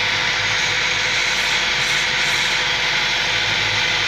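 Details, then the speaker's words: 2012 Chevy Sonic LTZ 1.4L turbo, warmed up, idling very rough with a loud hiss from a vacuum leak under the valve cover; codes for MAP, O2 and lean; planned fix is GM's updated valve cover and gasket assembly. "the runs really rough I don't know if you can hear but there is a vacuum leak if you look underneath the valve cover"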